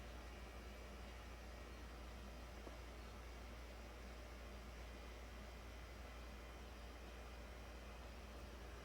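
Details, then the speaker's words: 2009 Toyota Corolla 1.8 with evap codes, scan-tool evap monitor test: leak detection pump heard running as a faint steady hum under soft hiss, building vacuum to 39 mmHg; the pump had not run, and the fix was a new evap canister assembly. "oh i hear the pump running that's a good sign it's supposed to be graphical but it's not graphing it oh i clicked it and i would have waited too long well it's building vacuum what did it say 39 millimeters of mercury"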